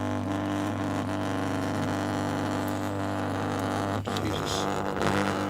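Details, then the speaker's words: Stepper motor under closed-loop PID control driven from a Raspberry Pi Pico test code: a steady even buzzing hum with clean overtones and no skips or stutters, normal stepping. "in any case just based on that sound you should be able to hear that this um stepper motor is working"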